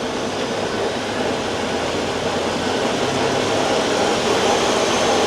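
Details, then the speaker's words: 2020 Ford Expedition 3.5 twin-turbo on a road test: a steady rushing whir from the drivetrain under power, growing slightly louder as speed changes. The transfer case is worn and noisy, with the front differential noise judged worse. "The transmission noise. the transfer case noise or the front differential noise. Front diff. That one's worse."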